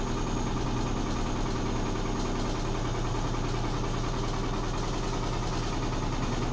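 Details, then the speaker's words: Neighbour's Midea HealthGuard washer speeding up in spin, a noise heard daily at night: a heavy low rumble with rough, uneven shaking that intensifies. The machine shakes but does not walk; the speaker suspects something loose inside, not confirmed. "O barulho intensificou. Então é isso que eu escuto todo dia. Meu Deus do céu."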